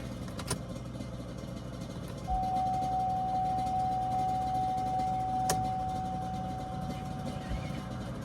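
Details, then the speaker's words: Engine started after a spark plug change catches cleanly after a couple of seconds and settles into an even idle, RPMs running a little high; no misses or rattles, normal start-up and idle. "all right every all that seems to be doing fine here we go RPMs are running a little high hoping she'll drop back down like she usually does"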